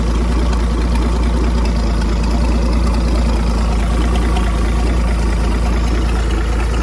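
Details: 1959 Graymarine 109 marine engine from a 1959 19' Lyman, after a complete overhaul, oil-pressure priming, timing set and carburetor adjusted: deep, even low rumble holding perfectly steady with no misses or knocks; normal smooth idle.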